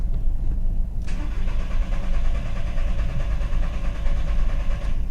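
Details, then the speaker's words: 2000 VW Beetle with intermittent stalling, code P0322: starter spins the engine evenly for about four seconds with no firing; scan tool shows no RPM signal, pointing to a failed crankshaft position sensor. "no RPM signal and my trigger try that again just going to check my lines uh under the hood or at the sensor make sure that I'm still connected but it looks like I got a sensor that's not putting a signal up"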